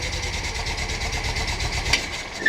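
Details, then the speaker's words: VW Bus with freshly installed 1600 flat-four, first start in the vehicle: lumpy idle with a steady hiss over the pulses, carbs audibly sucking air; owner suspects an intake air leak, unconfirmed; hissing at idle. "a couple adjustments i still have an air leak i can hear the carbs like sucking i need to figure that out"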